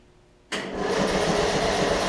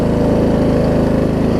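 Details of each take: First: Murray Select 42-inch 16.5 hp riding mower after new gas tank install, cranked on jump box/battery: starter spins engine evenly about four seconds without catching because the fuel valve was left off; crank no start, fuel supply off. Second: Murray Select 42-inch 16.5 hp riding mower, just started and warming up: even rapid single-cylinder putter at steady idle, no misses or surging; normal idle.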